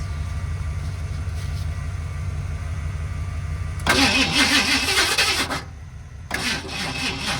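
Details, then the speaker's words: 1978 Ford F-150 plow truck, sat about a year with bad gas, carburetor rebuilt, new tank; long steady cranking, then a brief louder catch as it almost fires before dropping back, not quite starting. "happens it almost came to life right there I let off the key cuz I thought it was going to going to do it again"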